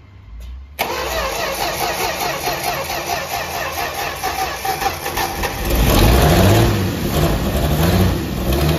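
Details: 1964 Dodge Dart station wagon, 170 slant six with push-button automatic, revived after 25+ years parked: cranks briefly, catches cleanly, steady even idle with a smooth rev blip; running really good, normal idle.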